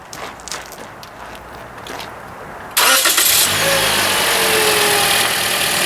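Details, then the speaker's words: 2013 Toyota Corolla, 150,000 km, at oil service during battery tester crank test: brisk even cranking under a second, catches cleanly to steady idle; tester reads cranking normal at 10.88 volts, battery healthy. "okay rpm's detected testing this will test the alternator too in a moment here time cranking normal 10.88 volts"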